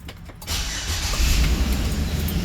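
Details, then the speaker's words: 2013 Chevrolet Express van with V6, originally no start/no crank, test-fired after the connector and wiring were checked: brief crank, clean catch, steady low idle; a normal start while awaiting a used EBCM. "She fires up fine."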